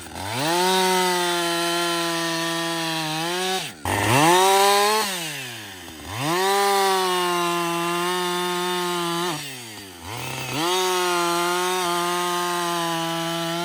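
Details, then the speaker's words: Husqvarna 562XP chainsaw, back from a dealer software reflash for dying when hot and stumbling; about an hour into cutting. It holds a steady high pitch through each cut, drops cleanly between cuts and picks up fast. It runs normally under load. "so far it's running great"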